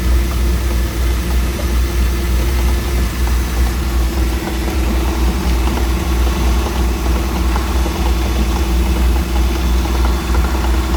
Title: Mercruiser 4.3 v6 knocking noise